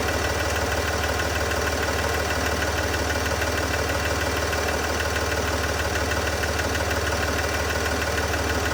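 Steady idle with a sharp, regular tick about three per second riding over the engine note; a clear top-end tick, source not pinned down.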